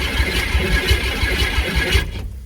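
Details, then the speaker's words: Small Ford Ranger that had been sitting, hot-wired at the ignition: steady cranking with an even low chug for two seconds, then it stops without firing. Fuel is about to be poured into the intake. Cranks but does not start. "we got it turning over now I guess I'll pour some fuel down it see if we can get it to make any noise"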